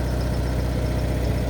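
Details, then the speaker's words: 2003 Craftsman (AYP) DYT4000 lawn tractor (hydro, electric PTO), likely replacement engine of unknown hours (meter shows 132); starts right up, deep steady low thrum with even firing beat, no knocks or misses. Normal idle. "Let's start it now. Runs good though. Starts right up."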